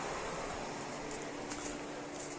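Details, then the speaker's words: Cooling fan triggered through ECU auxiliary output 7 in test mode during electrical checks with a new map loaded, before first start: steady, even whoosh with a faint constant hum as the radiator fan runs normally. "here you can see i've got the auxiliary 7 which is my cooling fan and i'm just going to put that into test mode and that should trigger the fan which it does"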